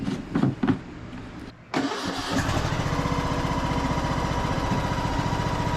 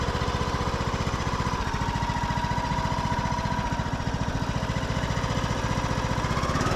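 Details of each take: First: Craftsman YS4500 21 hp single-cylinder tractor after repairs and greasing: after a brief startup a steady, even engine beat settles in, with no pulley noise or rubbing. Quiet, healthy running. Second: Craftsman YS4500 tractor, 21 hp single-cylinder: a thin, steady groan rides above the chug when the clutch/brake is released and the hydrostatic drive belt tightens. An idler pulley underneath is groaning.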